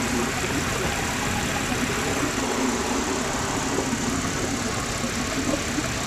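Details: Audi V6 TFSI petrol idling after a misfire was fixed: steady, even hum with no stumble, skip or uneven beat; normal idle.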